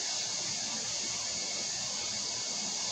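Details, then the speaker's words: WOSON autoclave at end of sterilization: valves open and steam vents for about 2 minutes before a 9-minute drying phase, giving a loud continuous hiss with no sputter or knock while pressure and temperature fall; normal. "D'abord, il ouvre les vannes. Vous laissez échapper la vapeur d'abord."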